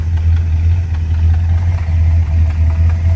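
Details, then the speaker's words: Carbureted V8 with stock Carter carb that runs rich, needs long cranking to fill the bowl and stumbles on sudden throttle, possibly a weak accelerator pump: deep idle that stumbles every few beats, with soot from exhaust. Idle misfire. "can hear it missing every few"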